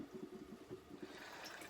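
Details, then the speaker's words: Truma Ultrastore water heater after replacing the electric heater element, refilling the system: rushing, gurgling water with spluttering bursts as trapped air is pushed out of the storage tank and pipes; normal air purging. "I'll let the air out this hot water system. Pushing all the air out the storage tank."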